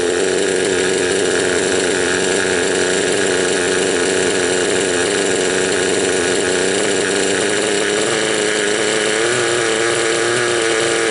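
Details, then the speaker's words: Raptor 30 RC helicopter gasser during break-in: loud high idle with a wavering, lumpy chug, rich and four-stroking, spitting oil from the exhaust, with the low needle one turn out and the high needle three out; it smooths out as the low needle is leaned. "Right now the idle's high and it's got a lot of flooding going on. Or I think they call that four-stroking."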